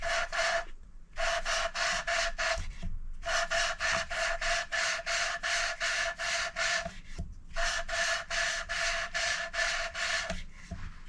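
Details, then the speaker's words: Hand-lapping a valve into its seat with fine paste after coarse passes (3 goes coarse, 2 fine). Quicker, lighter hissing rasp strokes in short runs with pauses, the noise audibly changing from coarse. The result is a smooth, evenly mated matte seat with no pits. "You can feel the difference with your fingers actually. Now you hear a difference in the noise as it starts as well when I start grinding it."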